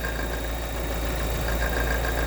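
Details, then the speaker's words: Steady idle with a light, even tapping over the engine note that stops when the camshaft is pressed; exhaust camshaft knock. "нажатие на раз предва звук прекращается"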